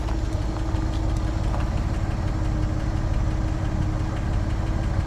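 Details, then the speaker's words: 1954 Chevrolet Handyman wagon, old inline petrol engine at cold idle: light quick ticking over low rumble, goes away when fully warm and driven; lifter tick, owner suspects valves need adjusting. "when it warms up really good and you drive it it does go away but i want you to know that it's just a little bit of a lifter a tick and you know maybe it needs this valves adjusted or or something"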